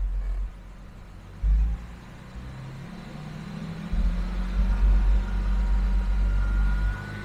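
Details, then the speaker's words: Jaguar XJS V12, revs held: deep even note with slight rise and no misfire stumble; now running normally on all 12 cylinders. "and now we are definitely on 12. we've got a 12 cylinder again very nice instead"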